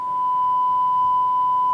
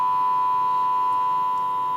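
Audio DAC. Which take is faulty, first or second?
second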